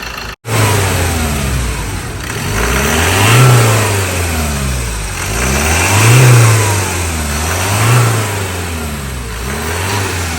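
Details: Ford Ranger 2.2 diesel after injector repair fixed a no-start: the engine climbs smoothly through several blips and settles back cleanly, no misfire or knock, revving healthily before a road test.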